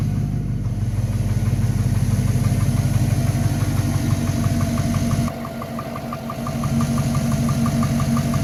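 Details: V8 engine with only 15,000 km on a new engine, idling: light regular tapping about three per second over a deep rumble; owner suspects piston slap.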